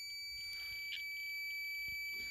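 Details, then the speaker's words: Toyota MR2 mk1 AW11 dome light that worked in the 'on' position but not with the door open: after a rough solder repair on the part, a continuity test gives a steady, unbroken high beep, so the circuit is closed and the joint conducts. "So if you come over here, this should now have a connection between these two dots here."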